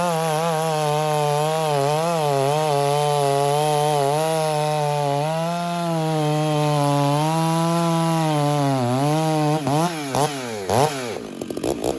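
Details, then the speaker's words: Stihl 066 chainsaw that was starving for fuel in the cut, carb now richened. A high steady full-throttle wail sags and recovers with a slight gurgle, then drops off; it cuts better, healthy rich setting. "now I just basically fattened it up a little bit and you hear that little girdle I'll show it to you again I'll show you the sound it's cutting better now"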